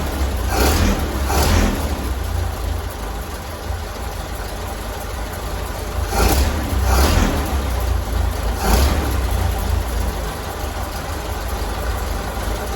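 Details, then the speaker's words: 1932 Ford Model B after its spark plugs were cleaned: it started right up into a low, steady engine rumble with a few mild swells and no misses or knocks; normal idle. "think she was just telling me hey I find myself good started right up idling good I think we're okay"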